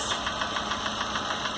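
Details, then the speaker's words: Chevrolet Corsa with Montana front, at idle, checked with an oscilloscope transducer per cylinder: sharp, even ticking six or seven times a second, strongest at cylinder 4; the camshaft is tapping in the top of the cylinder head, not the bottom end. "e aparentemente é comando né é o comando que está batendo ali ó tá vendo então aqui você já matou defeito no carro o defeito não é parte de baixo é na parte de cima do cabeçote"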